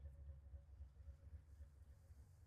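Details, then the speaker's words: Cold-started V8 truck idling after sitting three weeks: soft, even low thump a few times a second with only a faint lifter tick, a quiet, healthy engine. "I know it probably doesn't sound good on camera to you guys, but this is actually a really quiet engine. It's got a little bit of a lifter tick, but not much."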